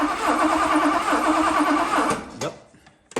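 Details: 1982 Mercedes 380SL cranked by a manual remote button during ignition troubleshooting, after swapping back to the original black coil, which restored spark: the starter cranks evenly at about three turns a second for two seconds. Normal cranking.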